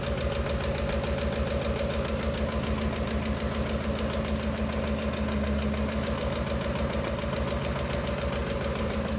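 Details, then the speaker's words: 2013 Ford Expedition V8 idling with a fast, loose chattering tick from the valvetrain; first thought left side, stethoscope placed it on the right, where a rocker arm had fallen apart and damaged the camshaft. "what i have found is a rocker arm has fell apart and tore the cam up"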